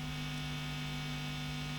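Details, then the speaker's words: Marshall JTM45 MKII model 2245 amp, chassis open, during bias and hum balance adjustment: steady low electrical drone with buzzy overtones; hum balance set away from its null point lets excess mains hum through. "There's a fair bit of hum anyway, but then the whole thing's all open to the elements at the moment. Just try that again. Yeah, there is a kind of null point there, so that's a bit more hummy there,"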